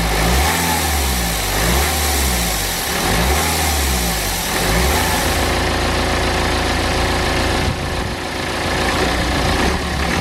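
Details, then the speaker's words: BMW N47 diesel with a failed charge air pipe bracket and an old temporary repair: clatter at idle, then rising revs with a steady airy hiss from the charge air pipe area, leaking boost and causing lost power. "And if you was able to hear then, there was quite a lot of hissing coming from this area, and obviously it's pretty easy to see why. That is exactly our problem."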